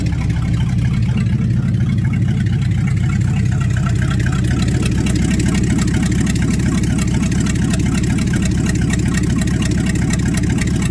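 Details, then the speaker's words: Cold start at about 10°C after sitting overnight, carbureted engine with no exhaust pipes; loud deep even rumble with steady pulse, no misses or knocks; running healthy. "God that sounds awesome wonder how much trouble if I'd get in running straight pipes just out right in here"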